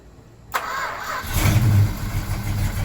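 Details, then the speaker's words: 1972 Plymouth Road Runner 440 V8 (four-speed, Gear Vendors overdrive) after engine reinstall, cranks, catches and settles into a deep steady rumble with a quick blip, no ticking or puffing, after fixing exhaust pipe-to-manifold gasket leak; normal start and rev. "yeah ah way better that's motivation"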